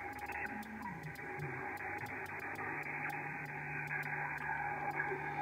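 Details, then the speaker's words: Yaesu FTdx5000MP receiver on the 40 m band: hissy noise with sharp clicks about 2.5 times a second. This is interference from a computer-controlled washing machine with an inverter drive motor running upstairs. "i have a washing machine that is running uh upstairs and it produces a horrendous noise it is a computer controlled with a inverter drive"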